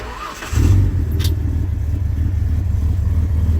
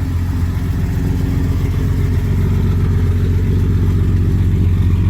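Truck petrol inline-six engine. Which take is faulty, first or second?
second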